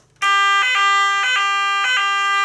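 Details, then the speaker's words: Nugelec type 2A fire alarm panel test: loud, steady high evacuation tone with brief regular warbles about every half second, clear and unbroken; the sounder works normally. "Donc c'est une scène qui est très forte, hein. Il n'y a aucun souci,"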